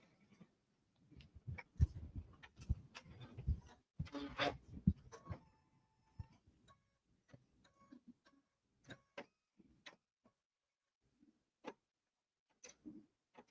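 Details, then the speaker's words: Embroidery/sewing machine stitching chatter, then sparse irregular dull knocks, the same knocking heard before; a big thread nest has formed under the needle plate, owner checking for debris. "Something doesn't sound right. Don't look messed up. I hear that knocking noise we heard last time. Yep. Let's see. Yeah, we got a big nest going on here."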